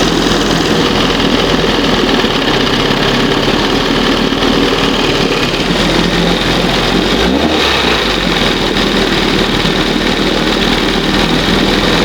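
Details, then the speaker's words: 1971 Johnson 20 hp two-stroke outboard after carburetor rebuild and readjustment: steady, crisp buzz at fast idle, even firing, no stumbling or surging; normal fast idle, running clean. "Let's give it another shot real quick. Sounds good. That's what fast should sound like."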